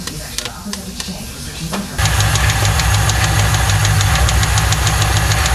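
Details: 1995 Lincoln Mark VIII 4.6 4V Ford Modular V8, first start after a dealership timing-set job; it arrived with no oil and a non-original filter. A sharp, regular metallic tap at about three per second rides over the idle: rod knock, so it needs an engine.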